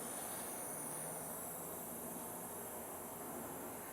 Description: A cell phone charger made by (or for) Verizon makes a very strange white noise / steam evaporation sound when plugged into the wall and the phone is charging.